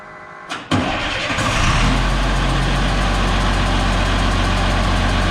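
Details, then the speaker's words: DT360 diesel with newly installed P7100 pump cranks and catches, settling into steady clattering idle with faint puffing tick; air felt at rear, injector suspected not seated properly. "I'm feeling air back there, but I don't know where it's coming from necessarily. Like it's not. Unless that injector didn't seat properly."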